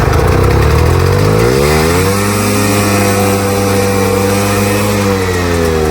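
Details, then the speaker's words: Polaris Indy Trail snowmobile two-stroke, carbs cleaned after bad fuel, first start with a small prime; it catches and climbs to a steady high scream that never drops to idle. Engine racing at uncontrolled high revs; owner suspects he messed something up. "So, yeah, that runs, but it is running away, so I don't know, I might have screwed something up there."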